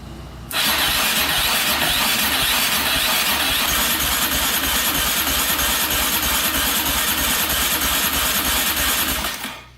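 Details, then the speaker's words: Used quad with decompression mechanism, compression test, throttle open: steady, even starter cranking about three beats a second for nine seconds, reading about 75 psi (typical 70–90); normal compression. "We're at 50, 60, 70, about 75 PSI. I'm gonna look that up and see in the manual what that's supposed to be."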